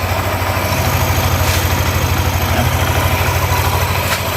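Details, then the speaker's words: Yamaha NMAX new (circa 2020), after replacing the worn camshaft bearings with racing bearings and adding an oil jet hole: steady, even low idle with no rough "sek sek" rattle; engine now smooth and healthy. "ya jadi suaranya Udah halus lagi berarti penyakitnya emang dari bearing makan"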